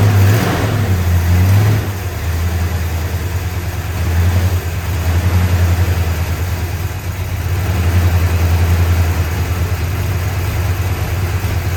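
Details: 1965 Chrysler 300 383 V8 after 17 years sitting in California desert, just revived: deep lumpy idle rising and sagging with throttle; smoke from leaked oil burning off, holed radiator spraying water; owner suspects timing slightly off.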